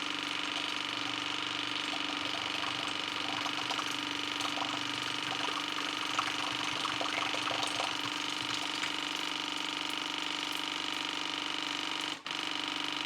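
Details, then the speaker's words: 2015 AEG Favorit Electrolux dishwasher after an i30 leak-protection fault, cleaned with a water flosser and machine cleaner; steady, even drain pump hum with light watery trickle and no beeping, tub pumped empty: normal drain pump operation. "Ik zal eens even kijken of we hem kunnen afpompen zo. Ja, hij is leeg."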